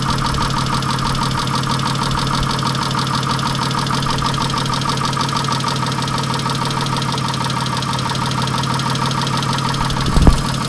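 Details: 1997 Chrysler Sebring at idle: a loud, clattery, diesel-like rattle all the way through. Engine knock, source not pinned down.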